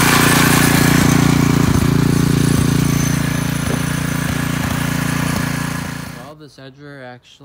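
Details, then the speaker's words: McClane 3.5hp edger with Briggs & Stratton engine, after a carburetor tune-up, oil change and fresh fuel following years of sitting, started cold. It chugs evenly under cutting load with occasional sharp blade ticks, then fades away. Runs pretty good and cuts a nice line. "uh runs pretty good and cuts a nice line and everything so i think we're just gonna get this thing cleaned up quick and wrap this video up"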